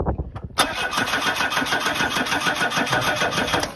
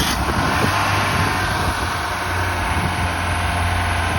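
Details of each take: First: Ford Cortina, 33 years off the road and unstarted, cranking with brake cleaner added to the fuel: steady even cranking but never catches, no spark from the coil; plan is to try a spare coil from an old 1600 engine. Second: Ford Cortina first started after about 32–33 years laid up: steady four-cylinder idle, slightly lumpy now and then but no tapping or knocking, sounds smooth; some smoke from the rear, oil at the bottom of the dipstick.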